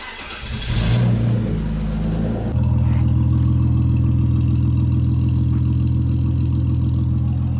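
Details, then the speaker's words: BMW E46 drift build, just refitted with makeshift old exhaust pipe, started up. Cranks, catches with a blip, then settles to a deep, even idle with no rasps or leaks; meaty, healthy exhaust note. "sounds good as. So, I don't know why they cut the exhaust off cuz it already sounds pretty meaty like that anyway."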